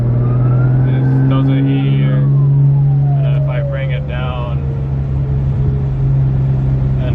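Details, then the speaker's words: Audi B5 S4 twin-turbo, warmed up, on pulls: siren-like whine sweeping up and down as boost builds and falls, only above vacuum; pulls slightly better. Cause unconfirmed. "so it still does the whining noise but I mean it definitely pulls a little bit better into a couple of poles here a little bit but it only uh seems to do that whining noise I'm like anything above vacuum so"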